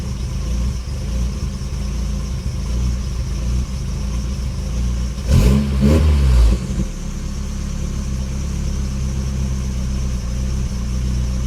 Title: 1996 nissan pickup rough idle